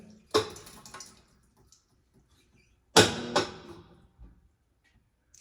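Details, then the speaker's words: Amana washer model NTW4516FW1 in diagnostic mode before final spin: two short clunks a few seconds apart over a quiet tub, no grinding; shift actuator changing between cycles normally, clutch kit gears likely not stripped. "Sounds like the actuator is actually shifting between cycles just like it should. So we know that that's working properly."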